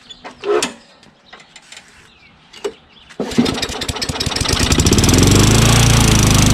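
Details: Curb-found Craftsman push mower with Tecumseh engine, start after a new magneto, checked valves, fresh gas and intake/carburetor/cable work: a few handling clatters, then the single-cylinder catches and settles into a steady, even chatter building smoothly to full speed; runs healthy.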